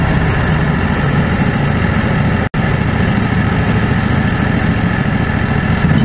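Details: Predator 670 V-twin after adjusting the stock carburetor (brass caps removed). Deep, even low-pitched idle holding steady speed with no hunting or surging. Factory idle was unstable; now stable.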